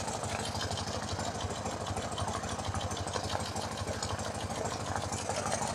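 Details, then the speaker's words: BMW Airhead R90/6 after a top-end reseal with one valve and guide replaced: a light fast tick over a lumpy idle, sounding different on one side, checked with a mechanic's stethoscope; exact source not yet found. "so I can hear a tick tick tick"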